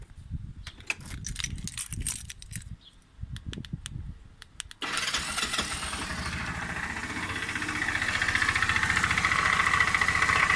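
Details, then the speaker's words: Force 150cc scooter: the engine fires up and idles with a steady knock, about three to four beats a second, coming from the generator area. The engine is to be removed and disassembled. "где мы рассматривать скутер серег force 150 кубов короче стучи двигатель районе генератора сейчас я заведу"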